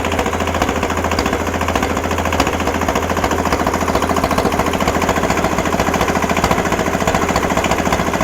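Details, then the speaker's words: Kubota L210 21hp diesel tractor, still smoking after start: a rough, hammering idle with uneven popping as one cylinder struggles to kick in. Once it fires, it stops smoking and runs well. "all right you can hear that popping that popping is the other uh the other cylinder trying to kick in once it does it'll quit smoking it'll run good"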